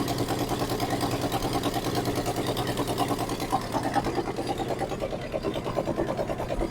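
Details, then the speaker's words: 1963 Ford F100 unibody V8 first start after 20+ years sitting; even low burble, no valve train noise, exhaust pipe cut off and tapping the cross member; normal idle. "it's obviously has oil pressure cu there's no valve train noise at all that pumpkin is right there from that exhaust pipe this motor is quiet as a church mouse"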